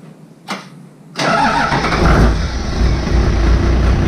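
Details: Diesel 60-series ute after fitting a new 120 amp alternator and Munro parts, batteries recharged after a water leak: short crank, then catches and settles into a steady, even idle with no misses or knocks; healthy.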